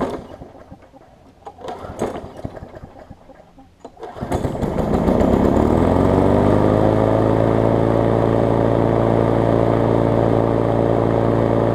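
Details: 22-inch push mower, a few years old and a little worn, spring bent slightly to run a touch faster: pull-start noises, then it catches, climbs to speed and holds a smooth, steady drone without surging; normal running.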